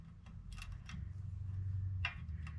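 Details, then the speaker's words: 1975 Honda CB360 wheel being trued after lacing spokes: light, uneven ticks a few times a second as the spinning rim's high spot catches the marker; wheel is out of true up and down, fix by tightening loose spokes. "Hear that? We're a little hot, we're a little out, so you want to find that."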